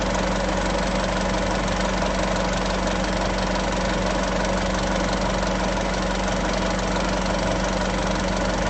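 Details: Isuzu 3.0 V-Cross 4x4 pickup, diesel, cold morning idle: smooth, regular clatter and steady low hum with no missing or knocking. A healthy engine.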